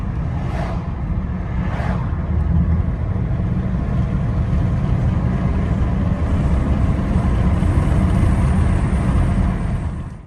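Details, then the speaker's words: 2011 BMW 328i (144k miles) driving after repair: steady engine and road rumble with the former slow-speed rattle gone once the faulty part was replaced. "so here's a clip of the car driving once the part has been replaced and it doesn't make any more noise"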